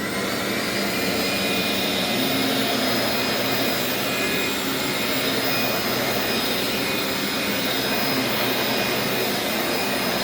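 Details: Old Dyson upright vacuum running normally: a steady, even rushing roar with a faint high whistle and no surging, rattling or grinding. Brush roll agitates okay, and it is much quieter than the later DC07.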